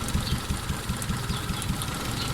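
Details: Four-cylinder engine at idle with plug high-tension leads pulled one at a time to locate a misfire. Idle turns lumpy with an uneven, loping beat and a missing pulse once a lead is off, showing that cylinder was firing.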